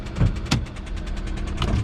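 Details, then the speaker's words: 2016 Hyundai Accent at auction with check engine light on: quick, even tapping about ten per second over a rough idle; driven daily until three weeks ago, when the tapping probably started; cause undetermined. "eck engine light is on tapping noise and engine was driven daily until three weeks ago probably when that tapping started"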